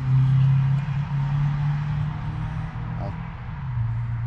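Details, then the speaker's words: Rheem heat pump running after transformer replacement and repair of a low-voltage short from frayed reversing-valve wires, now fused: steady low hum, even drone, no clatter or rattle; normal running. "As you can hear, it's now on and running. That was our problem. Some frayed wires going to the reversing valve."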